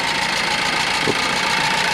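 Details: Ford Focus engine just reinstalled with transmission, long-sitting and hard to start after about ten tries (injectors possibly dried up), fuel primed: steady, even mid-pitched idle with no clear knock or misfire as it settles.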